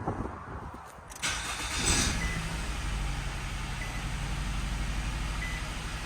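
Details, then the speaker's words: 2011 Nissan Rogue after pushing in a coil pack connector that was not fully plugged in and had caused a rough idle, water blowing out of exhaust from bad head gasket: even, steady idle, no misfire; running much better. "does sound like it's running better now oh that's running much better now just a little coil pack"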